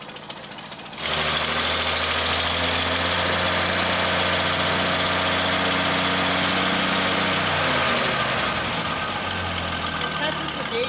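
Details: 1939 Hudson straight engine on uncleaned carburetor, fuel treatment added: starts and idles with an uneven, lumpy beat around two and a half a second; rough idle.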